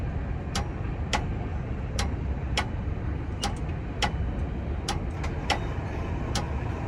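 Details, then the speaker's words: Crossing gate drive (close S60) lifting gates smoothly on newly installed, not yet fully charged battery bank: low steady motor rumble with loose ticks about once a second, less grinding than before; normal gate raising. "So, the battery bank I just installed still has to charge up, but even right now, it was able to pick up the gates no problem."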